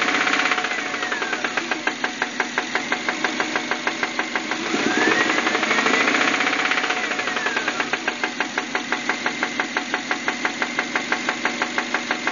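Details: 1999 Subaru Outback 2.5L DOHC, knock that started suddenly: sharp steady knocking about three a second at idle, rising briefly with a throttle blip; owner suspects rod knock, unconfirmed.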